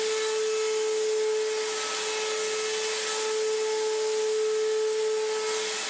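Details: Restored Electrolux Z1910 Self Propelled vacuum on a rug: loud harsh whine held at one pitch over a rough hiss; sounds terrible, worn motor bearings; post-motor filter pad working loose.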